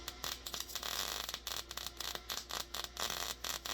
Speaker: okay you sound you hear that um egg popping noise yeah that's what you're looking for